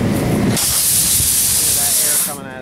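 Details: Ford 550 truck tire with a nail puncture, before a rope-style plug repair: a loud, steady high hiss of air escaping through the puncture that suddenly drops away at the end.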